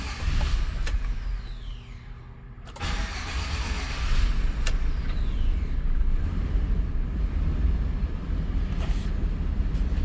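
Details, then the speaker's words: 2013 Chevrolet Express V6 van, down over a year with no crank/no start and theft-deterrent lost-communication code, apparently a blown fuse: short crank catches at once, settles into smooth, even idle; normal start and idle. "So the vehicle is running. So the vehicle is actually running."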